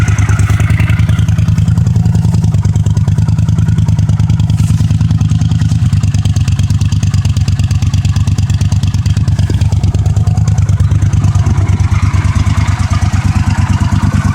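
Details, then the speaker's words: 1982 Honda CX500 Custom, 12,000 miles, unstarted about 12 years, cold at about 30°F: steady, even low putter at idle, no ticking or puffing, no exhaust leaks; normal idle. "no exhaust leaks it's a nice quiet little bike"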